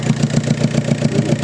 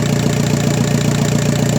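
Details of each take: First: VW Passat B5 FL 1.9 TDI 130 hp, automatic, pump-injector diesel that starts very hard in the morning: lumpy idle with a regular heavy stumble about seven times a second; cylinder four misfiring, injector seals suspected. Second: VW Passat B5 FL 1.9 TDI 130 hp automatic, misfire on cylinder 4 and hard morning starts; after replacing unit-injector seals only, steady even diesel idle clatter, about 2.5 beats per second, no misses; injector corrections near zero; normal idle.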